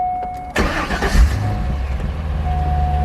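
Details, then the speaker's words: 2001 Chevrolet Corvette C5 V8: brief starter whir, catches with a deep rumble and settles to a steady, even idle; normal cold start. "so let me crank the car so y'all can hear it for the first time"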